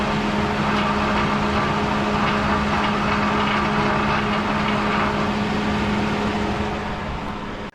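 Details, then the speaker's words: 2011 Ford Crown Victoria Police Interceptor from a police auction: a light, roughly regular metallic buzz at idle from the engine area, absent at speed or under acceleration; owner suspects an exhaust heat shield, source unconfirmed. "The only issue it has right now is there's a little bit of a rattling coming from the engine area."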